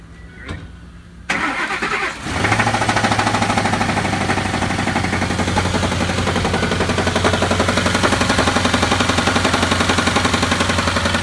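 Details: Ford 5.4 Triton 3-valve V8 with customer complaint of no power and loud knock; cranks, catches and idles with a steady heavy knock from the lower engine.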